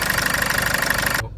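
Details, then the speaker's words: 2009 Land Rover Freelander 2 2.2 TD4 diesel just after fitting an EGR blanking plate: even, steady diesel clatter with regular firing pulses, no hunting or misfire; runs smoothly, later reported smoother low down with more power. "started it up seems to be running okay I'm going to 3 F the cover take it for a spin around the block and see how it"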